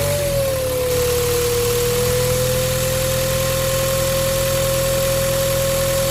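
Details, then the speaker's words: Ford Ranger T6 diesel just started, before turbo replacement: a steady high whine (~500 Hz) howls over idle as soon as it is revved. The variable-geometry turbo actuator motor has failed, and its linkage no longer moves with the throttle. "มีอะเล่นเครื่องจะได้ยินเสียงเทอร์โบหอนขึ้นมาทันทีเลยอ่ะ"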